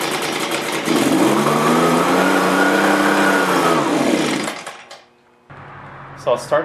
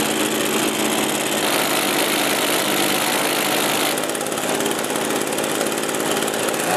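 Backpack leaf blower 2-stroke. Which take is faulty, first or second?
first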